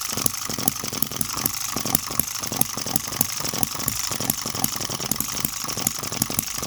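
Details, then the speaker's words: Microcosm M96 "Oddball" 2cc hit-and-miss model engine with new 1.5V electronic ignition and smaller-scale spark plug: crisp regular firing beats about four or five a second with bright mechanical clatter. Runs sweet and even; normal. "And the ignition working absolutely great. The new ignition with 1.5 volt sourced ignition, incredible. What a beauty. I'm going to continue running this."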